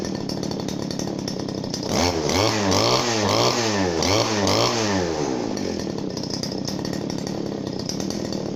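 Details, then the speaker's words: Genuine Makita RBC411 two-stroke brush cutter: starts buzzing evenly, revs up smoothly and settles back, with a deep, soft, full exhaust note and no misfire or rattle; healthy running. "นำตายของมันที่ได้นะครับเสียงจะทุ่มนุ่มลึกนะครับก็เสียงที่นุ่มๆครับ"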